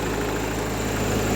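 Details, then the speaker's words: Peugeot 308 after no-crank no-start fixed by replacing blown 25 A fuse (starter motor already replaced): even low-pitched idle, steady and smooth with no hunting, knocks or misses. "So thanks to the fuse, this fuse 25 amps that was gone, and as soon as I kind of changed it, started it, done."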